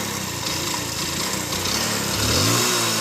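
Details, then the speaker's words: Motorcycle revved with a rising note and a rattly knock that follows the revs; the mechanic identifies connecting-rod noise inside the crank of a totally worn-out engine. "బండి rate చేస్తుంటే మనకు ఇంజన్లో connecting rod sound వస్తుంది చూడండి."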